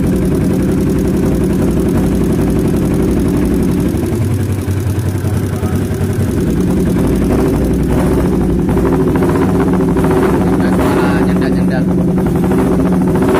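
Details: Kawasaki Ninja 250 engine runs with an uneven, coarse note and irregular pulsing at steady speed before engine teardown; something rough inside, cause not yet pinned down.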